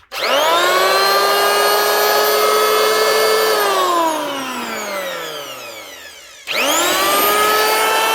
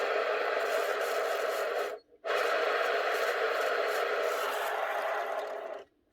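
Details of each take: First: 2006 Makita 1923H 110 V corded planer after replacing all its bearings (it squealed before): spins up to a clean, steady high whine, coasts down smoothly and restarts evenly with no rumble or grind. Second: Makita 1923H 110 V corded planer from 2006: dry, raspy scraping rumble as the bearing is spun by hand, stopping and restarting; dried-out, worn bearing that needs replacing.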